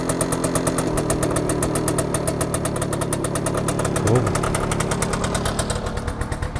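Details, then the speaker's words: 1966 Suzuki K15, stock 80cc two-stroke, cold start with a little choke, warming up: sharp, rapid ring-ding popping at steady idle, very loud for so small an engine, easing slightly at the end; cause of loudness unknown. "yeah I don't know if you're gonna hear all of that is pretty loud letting it warm up right now"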